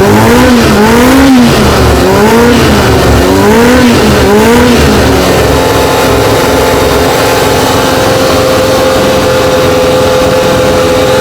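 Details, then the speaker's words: Four-cylinder carbureted bike, no air restriction fitted, choke off: blips a few times then settles to steady even idle with smooth constant tone; owner happy, carbs not yet balanced; normal idle. "all right that's no choke that's no joke oh all right happy"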